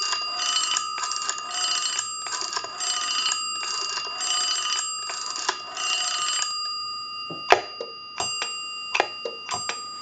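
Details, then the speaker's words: Western Electric 202 rotary desk telephone with bell box, after phone repair but before bell repair; bright bell chimes pulse with each run of dial clicks, then sharp clicks alone; ringer tinkles while dialing. "he gets a little bit of a bell tinkle whenever he tries to dial the telephone or when he hangs up or picks up the receiver"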